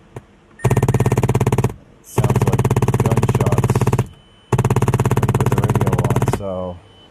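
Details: 2010 Mazda 3 2.5L that was jump-started backwards, radio running after a 30-amp fuse was fitted in place of a missing radio fuse: loud rapid bangs in bursts about 1.5 seconds long, like gunfire. A damaged amp is suspected, unconfirmed.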